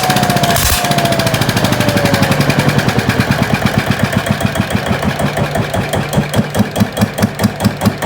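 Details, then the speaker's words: GA70 single-cylinder diesel on a stand, water had got into the sump, oil changed: catches easily and settles into a firm regular thump slowing to about 2.5 per second, runs evenly; normal running. "ดีรอดตัวไปติดง่ายน้ำมันเครื่องขึ้นแล้ว"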